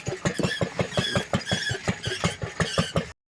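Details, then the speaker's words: Homemade locomotive with a Lister D engine, homemade CVT friction-wheel drive and four-wheel drive on a 1-in-8 climb: chugging thuds about three per second with thin squeals as the drive loads up, so the friction wheels are slipping and squealing. "The friction wheels squeaked and squeealled, so I made a bigger one."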